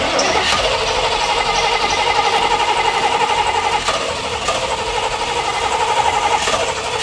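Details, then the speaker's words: 18,000-mile IROC-Z Camaro first start after 30 years abandoned, fresh fuel added: engine catches but runs lumpy and uneven with several cylinders dead, a couple of banks apparently not getting fuel. "It seems like a couple banks aren't getting fuel. >> Yeah, this is something very similar to what I ran into. And it turns out that only three out of the eight injectors were actually working."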